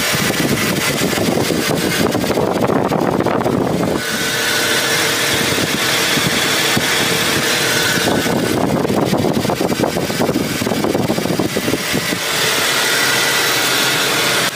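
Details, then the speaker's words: BMW E46 with M54 engine, hot idle after driving home: faint steady whirring spin from worn AC belt tensioner and idler pulley bearings, louder when cold in the morning; pulleys being replaced. "when I start my car up you can hear a very distinctive worring spinning noise it's the bearings from those tensioners and pulley they're going out"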